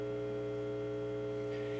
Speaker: y'all hear that buzzing over there i got a fluorescent light over there that just done up and lost its mind one more thing to fix